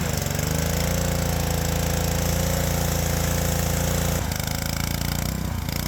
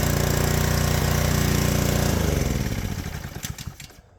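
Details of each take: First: Small engine on a power washer at the wand's minimum-flow setting, steady at first, then rising and sagging over and over as the governor hunts; a carburetor fault is found. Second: Power washer's small single-cylinder engine, on fresh 89 gas after carb removal and cleaning (it had run only on choke), runs evenly with a steady beat for two seconds, then slows and dies when switched off; normal running.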